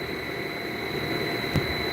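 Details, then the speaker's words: Heat pump compressor cooling on first stage after thermostat turned down, inverter-driven at 40 Hz: steady hum with thin high whining tones, no rhythm; sounds rough at 40 Hz but normal at 60 Hz; cause not yet pinned down. "you can hear the compressor when it's on 40 hertz but it sounds normal when it's on 60."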